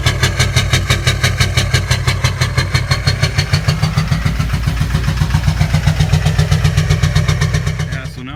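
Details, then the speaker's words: 2006 GMC Duramax LBZ diesel at idle after bad fuel: heavy steady knocking like a helicopter, blowing black smoke; failing injector overfueling one cylinder, found by unplugging injectors one by one, later replaced. "It's knocking pretty good. It's just sitting at idle and blowing smoke. It sounds like a helicopter."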